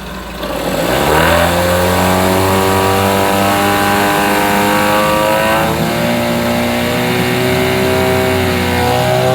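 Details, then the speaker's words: 9.9 hp Mercury outboard that wouldn't start, after replacing the old fuel line: catches, revs up cleanly and settles into a steady even drone with no stumbles or misses; running good, the fuel line thought to be the problem. "is she's running good i you know i think it was just the fuel line uh that was the problem"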